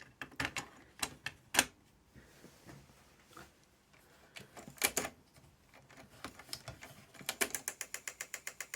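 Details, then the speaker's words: Panasonic SG-X10 stereo system cassette deck playing a test tape: irregular clacking and ratcheting bursts, then fast even ticks, as the transport chews up and mangles the tape because of a rusty capstan. "That sounds awful, and I think it's chewing up the tape somewhere. Let me look. Yep, it's definitely making a mess of that tape."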